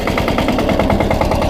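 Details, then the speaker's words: SpeedPro log splitter with a newly installed diesel engine; it idles without driving the flywheels. Minimum rack setting is still being learned. Slow, evenly spaced thumping at a low idle, estimated 600-700 rpm, with no misses or knocks; normal idle. "So that's pretty low. I don't know what that is, but it's probably 600 or 700 RPM."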